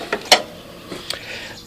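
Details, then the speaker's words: Yard Machines 20 hp 42-inch lawn tractor at key-on: a couple of sharp clicks from the carburetor fuel shutoff solenoid opening so fuel reaches the carburetor, then quiet; normal solenoid click. "that means that there's a relay on the carburetor that turns the gasoline onto the carburetor um they have it like that so the gasoline doesn't gravity feed or siphon out and spill"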